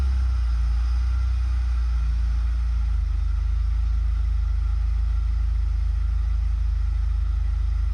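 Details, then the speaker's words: GM car (e.g. Buick/Chevy 1999-2005) first start after MAF sensor replacement for start-then-die problem; lumpy first few seconds, then settles to steady, even low idle as it relearns, runs fine. "okay so that's not too bad it was a little bit rough at the very beginning there but it's evened itself itself out already it's already running smoothly"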